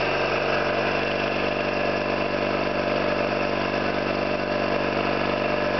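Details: Orlík 2 JSK 75-2 compressor, one of first runs after owner's own overhaul (valves, seals), motor temporarily started in star due to house breaker; steady even chugging with constant hum, no knocks, squeals or air leaks, healthy.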